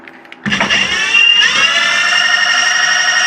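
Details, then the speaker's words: Electric motor on a controller, rewired after running in reverse gave a noticeable abnormal background noise: it spins up quickly and settles into a steady, clean high whine with no rattle or rough buzz; normal smooth run. "el motor funciona con un ruido limpio que es como la parte"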